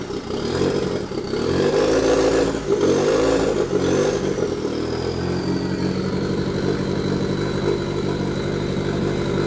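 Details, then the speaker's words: Nissan 240SX KA turbo drift build, first start after turbo, manifold and intercooler install, on stock ECU with bigger injectors and untuned, owner suspects running rich: engine catches, blips, then settles to a slightly uneven, lumpy idle. "Alright, so that's what it sounds like. It's running pretty good actually. I haven't put the new ECU in yet, so it's actually on a stock ECU."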